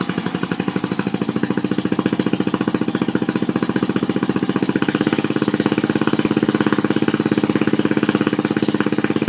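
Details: Murray lawn tractor built as a mud mower, test start after reassembly with a new belt and belt retainer, exhaust not yet fitted: loud, crisp, evenly spaced exhaust pops at a steady pace; runs clean and strong.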